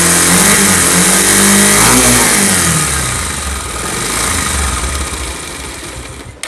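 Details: Pulsar motorcycle engine revving up and dropping back: rough, uneven clatter riding on the exhaust note, something mechanical loose inside; abnormal engine noise when revving.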